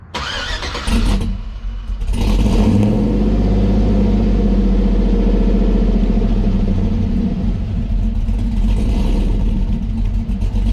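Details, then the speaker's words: 2008 Silverado 4.8 V8 with new Texas Speed On D Gas edition cam, long tube headers, tune and side dump exhaust: cranks and catches, then loud lumpy choppy idle with rev blips; normal cammed start and idle. "Yeah, this thing sounds nice."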